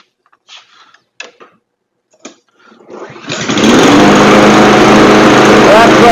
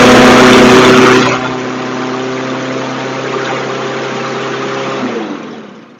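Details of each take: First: Troy-Bilt TB220 push mower, 159cc overhead valve engine, after carburetor cleaning and recoil repair: after a brief pull it catches and holds a steady, even high drone without surging or hunting. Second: Craftsman push mower after carburetor cleaning, new blade and fresh premium fuel, automatic choke: loud high-revving buzz then a steadier but still quick drone; running too fast, governor spring rod needs bending to adjust; engine overspeed.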